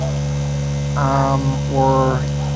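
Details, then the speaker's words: High-pressure diaphragm pump (up to 65 psi, about 22 gallons/60 liters an hour) emptying the reservoir of a solar-powered garden: loud steady low hum with constant buzzing pitch, no knocking or surging; louder than centrifugal pumps but running normally. "It's fast enough, but as you can hear, because it's a diaphragm pump and not a centrifugal force pump, it's a bit noisier. Not excessively noisy in my book,"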